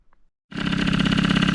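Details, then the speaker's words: MBK Magnum XR moped two-stroke, after fitting a C. Bouchet intake pipe and black air filter: fires first try, settles into steady, even idle with smooth beat, no hiss or air-leak whistle; no intake leak, normal start and idle. "Bon bah écoutez, ça a démarré au quart de tour, hein. Sans surprise, elle démarrait bien avant, elle démarre toujours bien après."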